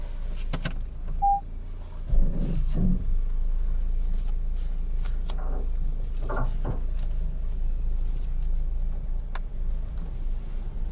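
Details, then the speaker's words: Peugeot 307 Estate on a road test over a rough road after a suspension overhaul, including the shock absorbers, to cure a front noise. Steady low road rumble with only soft bumps and no front-end knocking; the earlier noise is gone. "so far no noise that noise I was hearing and at the time when the car had to go shock absorbers before we started"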